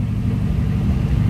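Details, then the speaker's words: 1950 Ford Custom Deluxe Tudor, flathead with dual exhaust, cold and not recently run, idling slightly high; a steady, deep, even rumble with no knocks or misses and no smoke. "is cold. I haven't had this car running, so it's going to probably idle up just a little bit here, but let's slip around back."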